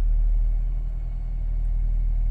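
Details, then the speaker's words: 2007 Honda Civic with cylinder 2 misfire (P0302), after the work: low, even rumble with no stumble or missed beats; starting and running smoother. "it's starting smoother and it seems to be doing smoother"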